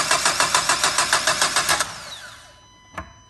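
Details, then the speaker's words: 1.5 dCi diesel: starter turns briskly, about three and a half beats per second, under two seconds with no firing; suspected lack of diesel fuel pressure, not yet confirmed by diagnosis; crank no start. "Comme vous entendez, et là, il manque de gasoil, il manque de pression de gasoil. Voilà, là, sûr qu'il y a un problème quelque part de gasoil."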